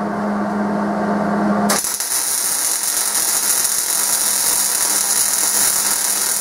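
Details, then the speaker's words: MIG welding at correct recommended wire feed speed: after a brief hum, a steady, even crackling sizzle like frying bacon, unlike the too-fast or too-slow settings. "it should sound like frying bacon is what it's often described as"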